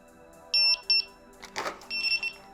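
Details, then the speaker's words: Begode electric unicycle suspension wheel just powered on: two short high-pitched beeps, pause, another pair; still in shipping transport mode and won't balance; exit by holding cutoff switch and pressing power button five times. "so as you can see does not balance and it beeps so to take it out of transfer mode you hold down the cutoff switch and then you press the power button five times"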